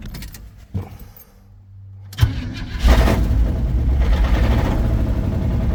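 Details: Chevy 350 V8 square-body 4x4 after a quick fuel line replacement fixing fuel leaking from new hoses: several seconds of cranking, then it catches cleanly and settles into a steady, even low idle with no misfire or stumble; normal start.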